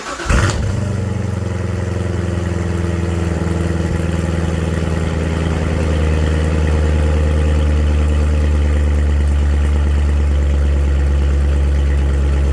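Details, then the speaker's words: 2015 Corvette Stingray V8 after repair of a broken rocker arm and a tune-up: after start-up it settles into a smooth, even rumble with no knocking. The engine sounds healthy. "all right sounds good I don't hear any knocking from under here engine sounding nice and smooth"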